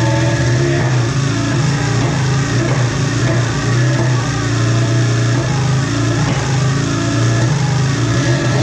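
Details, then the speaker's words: Polaris ProX2 700 two-stroke snowmobile, running after many start attempts: uneven sputtering and hunting without a clean note; rough running, suspected bad fuel, compression untested. "well it sounds like it's got some gnarly fuel in it"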